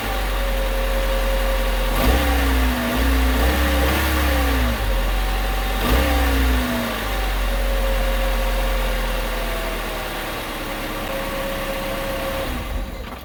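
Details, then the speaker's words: 2000 Honda Civic after a gear clamp was tightened around the rusted exhaust heat shield: the engine blips twice and drops cleanly back to a steady idle, with no metallic rattle on the revs; normal revving. "all right so I didn't notice anything else so I believe this here this was the reason for the uh for the rattling"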